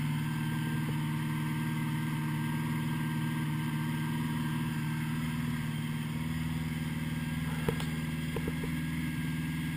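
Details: 1980 Honda GL1100 flat-four after a rebuild, slightly cold start at 54 degrees with carbs synchronised; smooth, even low idle with steady exhaust beat and no misses or rattles, healthy cold idle.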